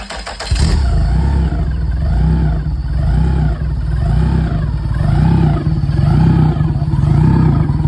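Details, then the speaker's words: Yamaha F150 outboard after replacing the high-pressure fuel pump in the vapor separator tank (VST) and refitting the intake manifold; primer bulb pumped, pump heard priming, then the engine catches quickly into an even, steady idle, running healthy; checking for leaks. "Donc là contact, on entend bien la pompe qui se met en route. Normalement ça devrait le faire."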